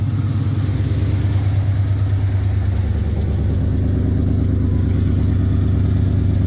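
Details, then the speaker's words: 2003 SVT Mustang Cobra supercharged V8 project car at idle: a rough, deep idle with a sharp puffing tick riding on each exhaust pulse, from an exhaust leak. "hear an exhaust leak not surprising"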